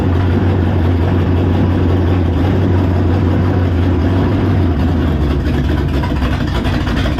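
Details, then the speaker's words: V8 on a test run: low, uneven idle with a loping, irregular beat and stumbles, rough running. Owner suspects the choke, carburetor, base plate or coil; cause unconfirmed. Water pumping out noted. "Something going on with this choke. Yep. She ain't liking it. She ain't liking the choke."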